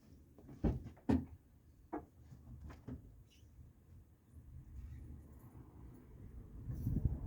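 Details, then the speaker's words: Toyota Camry 5S-FE, first start after new oil pump, rod and main bearings: loud clatters in the first seconds, then rough settling idle; dry start-up knocking until oil pressure builds, oil light went out quickly. "so uh may hear a little bit of knocking for a few seconds but hopefully it goes away pretty quick"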